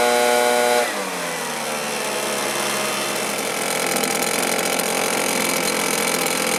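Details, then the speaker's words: Stihl BR450 backpack blower that dies after running: high steady whine suddenly sags to a rough, faltering run; fuel starvation, not pulling fuel despite clean filter, from a faulty fuel tank vent. "for some reason it's not pulling fuel I can hear the return in the tank but we're not pulling fuel anymore"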